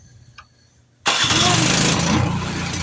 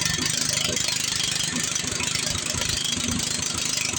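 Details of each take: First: Power Smart 26-inch snowblower that would not start from bad fuel, after fuel system cleaning: small engine fires and settles into a steady, even run with no stumbling; normal running. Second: Power Smart snow blower small engine, restarted after carburetor cleaning with residual cleaner still inside: screaming at high, unsteady revs with a busy rattle and never settling to idle. Engine racing; sounds like the throttle is stuck.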